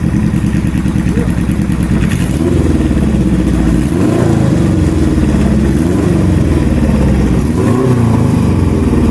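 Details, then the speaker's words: Flatplane three-cylinder motorcycle engine, fires at 0, 180 and 360 degrees like a flatplane four missing a cylinder: lumpy off-beat exhaust climbing cleanly with revs, like a fuller 180-degree twin or single; healthy. "Às vezes lembra um bicilíndrico de 180 graus com mais presença, ou, por faltar um pulso, lembra a batida de um monocilíndrico muito mais cheia. Mas seja o que for, esse motor soa lindo demais."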